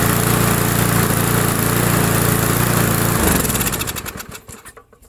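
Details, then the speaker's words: Small single-cylinder Briggs & Stratton mower, found at the roadside after sitting a long time with a cross-threaded plug, primed with fuel: runs with a quick, even putter for about three seconds, then winds down smoothly. "what it does it it gives the engine enough fuel to run for a few seconds and suck everything under the emulsion tube and up through the carburetor and this will run fine now"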